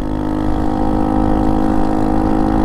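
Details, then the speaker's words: Honda Monkey 125 with Tenshi exhaust snapped, held on by one bolt: loud blatty idle with hard popping exhaust note, far louder than stock; exhaust leaking at the loose joint. "the poop poop that's loud that's really loud and now that the exhaust has been held on by one Bolt"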